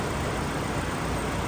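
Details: 2017 Hyundai Elantra 2.0 after swap to a low-mileage engine, warmed up about 30 minutes, AC on: smooth, even idle hum with no ticking, knocking or misfires; no leaks, no check engine light, sounds healthy.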